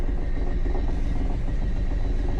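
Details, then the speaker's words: Pontiac Fiero Ferrari conversion with Chevy 350 V8 and Holley Sniper EFI: deep, choppy rumble stumbling unevenly like a snowblower, several dead cylinders, later traced to broken pushrods and rocker arms. "He's [ __ ] missing like crazy. Sounds like a snowblower."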